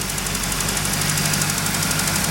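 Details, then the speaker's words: 1989 Trans Am V8 idling while warming up after new plugs: smooth, steady idle with light, quick injector ticking; oil pressure, no check engine light, sounds healthy. "I'm gonna let her warm up here and make sure we don't have any other issues. Whew, she stinks. You can hear the injectors ticking."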